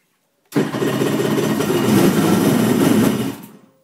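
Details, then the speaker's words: Winterized jet ski, bought in fall: engine catches at once, runs rough for a few seconds then dies on its own; owner notes heavy smoke under throttle, cause unknown. "It started up and then it just quits. I have no idea why."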